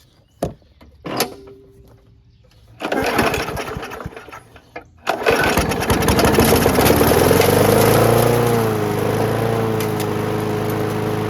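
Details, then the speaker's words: WeedEater 21" push mower, Briggs & Stratton 500 Series 158cc, on fresh gas: catches after a few pulls, speed rising and dipping as it bounces off the governor; restart took two pulls, carb still needs going through. "So it seemed to start and run, no issues. The restart took 2 pulls, which I saw that it was bouncing off the governor here a little bit."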